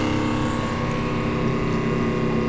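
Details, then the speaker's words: Flojet automatic booster water pump after pressure switch replacement with upgraded Flojet switch, air purged first: steady, even motor hum with constant pitch, no rattle or surging, then it shuts off at pressure; pump works normally. "You can hear the machine, the pump, you can see it, the water. Oh, and it shut off. So we know it works."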